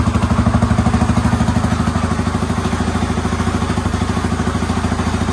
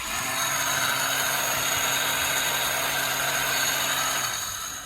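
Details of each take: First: Yamaha Raptor 350 quad after top-end rebuild, first start, plastics and tank off, fed from a battery, Chinese carburetor; steady even single-cylinder putter at settled idle, no misses, knocks or rattles, healthy. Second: Yamaha Raptor 350 quad during compression test, spark plug out, starter locked on through the solenoid; high even whirring grind with no compression pulses as the starter spins freely: starter one-way clutch shot, crank or starter gear may be worn too.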